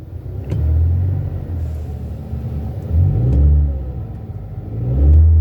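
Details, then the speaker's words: Car in park, revved with the gas pedal during checks after a no-start that was blamed on the battery: revs climb smoothly in three even bursts and settle back to idle without stumbling or stalling; sounds good. "Everything sounds good when the engine is revving up, so it goes back down. I'm not hearing no stalling in it."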